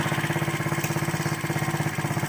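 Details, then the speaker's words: KC pit bike (Pep Boys, air-cooled single) first run after sitting 3+ years, cold about 40°F, quick even popping beat, steady with no misses; idling cleanly while warming up. "Sounds like it's doing pretty good. We'll let it heat up."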